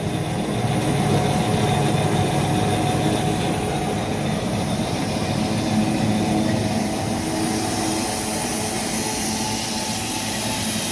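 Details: Bryan condensing steam tractor running on its own after startup, with its engine-driven fuel pump working: a steady, even chuffing hiss with a low mechanical beat of about four per second, running smoothly.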